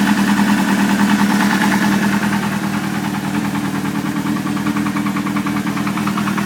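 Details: Idling Suzuki GSX-R600 sport-bike engine with an intermittent uneven knock, roughly three per second, tapping through mechanical clatter; owner suspects a spun bearing, not confirmed.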